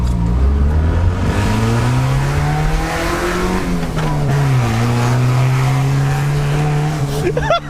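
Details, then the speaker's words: Ford Fiesta budget build, just fitted with a replacement engine after the old one seized when a rod let go, revved freely with windows down on a clear runway: loud, clean pull through the revs, steadily rising exhaust note, no knocks or rattles; healthy normal acceleration. "oh my God that sounds fantastic what a unit God you just rev it everywhere can't you rev rev rev rev"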